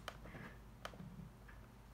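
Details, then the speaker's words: Lenovo Y50-70 laptop touchpad button after a fix for its clicker. Three crisp, light clicks about a second apart; left click and drag work. Normal touchpad click. "it works so i can do the left click as well and drag pretty light clicking"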